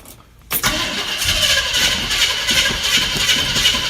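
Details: 1965 Chevy pickup, rebuilt years ago and parked 15 years, first start after sitting (air breather off, battery just reconnected): near silence, then the engine catches at once and settles into a steady, even run with no stumbling; normal start.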